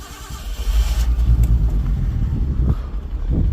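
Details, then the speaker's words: Nissan Skyline R32 cold start: settles into a lumpy, uneven low idle with a raspy puffing edge, about three pulses a second, from a known exhaust leak. "Again, there's a leak in the exhaust, so it sounds a little rough, but I kind of like it."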